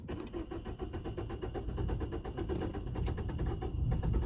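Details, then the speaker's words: 2012 Peugeot 208 1.4 VTi with a complaint of hard starting and stalling, no fault codes, first start in the workshop: steady starter cranking at about four beats a second that never catches, a long hard-start crank. "Really tricky to start. Come on. I don't think it's gonna start."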